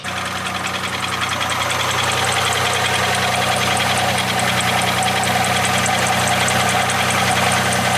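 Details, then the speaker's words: Project Oddball Camaro V8, idling: hard, rattly diesel-like knock ticking steadily; found after engine removal to be piston slap, with bores larger than the pistons and the skirts rocking, leaving the block and cylinders or the pistons worn out. "the cylinder bore is slightly larger than the piston therefore that's your piston slap the skirts are doing that they're making that noise"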